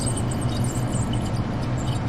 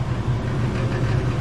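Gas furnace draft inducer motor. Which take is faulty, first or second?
first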